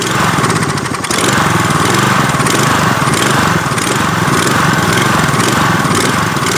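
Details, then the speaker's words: Troy-Bilt pressure washer, Briggs & Stratton engine, after regapping the RC7YC spark plug: steady idle-down buzz with trigger not pulled, rising and sagging slightly now and then; idle surge, cause unconfirmed. "unless you pull the trigger to start the pump action it's only going to idle and then it kicks into higher rpms once you pull the trigger"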